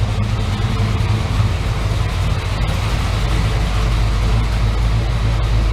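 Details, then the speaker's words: Chevrolet S10 V8 with performance cam, warm idling near 750 rpm, heard from the rear: deep, heavy, steady idle with uneven loping beat; normal choppy idle from aggressive camshaft. "And let you listen to it in the back. You can hear the loping cam."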